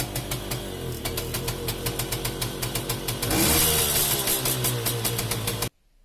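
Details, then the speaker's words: Romet 2375 (Komar) two-stroke, non-original replacement carb with adjusting screw at 1.5 turns out: even pops about four beats a second, then picks up cleanly on throttle blips; response sounds crisp. "faktycznie jest dobrze ustawiony. Jest w sumie na 1,5 obrotu, tak jak miało być."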